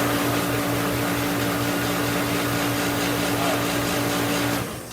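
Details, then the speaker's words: Master 100,000 BTU kerosene salamander space heater on a 17-degree day, after the pump pressure the owner had fiddled with was reset to the right psi using a gauge: steady fan and flame roar with constant hum, burner lit and firing normally. "okay so we have fire we've got the right psi"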